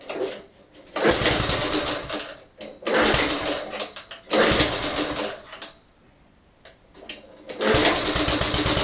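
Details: Old, previously non-running lawnmower bought cheaply, after the seized chain was freed with an impact tool: the small engine catches and runs in bursts, cutting out between them, with the chain rattling along.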